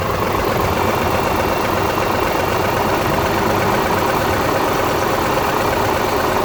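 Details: 2002 Subaru Legacy engine at steady idle with a busy, even clatter and knock; owner unsure whether rod knock or piston slap.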